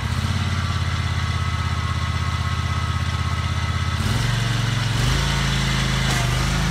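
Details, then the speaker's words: Scag 48-inch mower after oil change: steady, even low thrum from the single engine with a firm regular beat and no misses or knocks; sounds much better than before. "all right guys we're gonna fire it up let's see what happens [Music] oh my god it sounds so much better"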